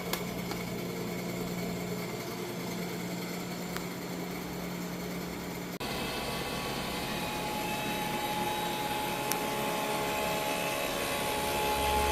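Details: Freeze dryer vacuum pump in final dry with bell peppers, room about 78°F, after fixing the valve that caused error code 8: steady even hum with a tone shift partway, no knocks or rattles; vacuuming now good.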